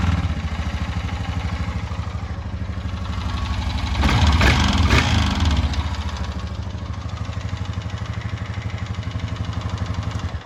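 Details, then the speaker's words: 2020 Honda Rubicon 520 ATV after being swamped: single-cylinder idle thumping about three per second, with a brief blip and a dull knock on each firing stroke. Owner fears crank damage and plans a valve adjustment first. Cause unconfirmed. "so as you can see it does not sound very good so what we're going to do is we're going to do a valve adjustment on it first"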